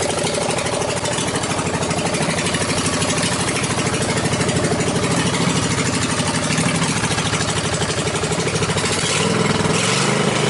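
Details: Riding mower after safety-switch bypass and push-start button install, blade clutch not yet hooked up: loud, even, rapid open-pipe popping with steady firing and no misses or knocks, a smooth, healthy normal idle.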